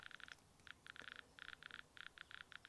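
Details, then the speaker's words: Graetz X50B survey meter with headphones near the microphone, on a pitchblende sample reading 7 to over 10 milliroentgen (about 70–100 microsievert): rapid clicks in irregular clusters over quiet hiss; Geiger counter responding to a radioactive source. "so you can see there it's fluctuating between sort of seven milli ronkin and i've seen it go up as high as 10."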